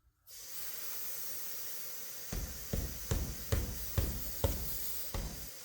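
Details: 1957 Ford Fairlane sitting on four flat tires, being reinflated; steady hiss of air escaping while inflating, then dull thumps as tire is knocked to seat the bead: tire bead air leak.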